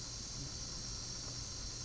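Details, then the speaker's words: Foxboro Model 13A pneumatic DP transmitter, applied pressure bled off, output about 2.2 psi versus 3 psi target: soft, even airy hiss, less than before as relay counterbalances less force; normal bleed. "you can audibly tell that that there's a pressure change this isn't hissing quite as much as it was before it's not having to counterbalance as much force"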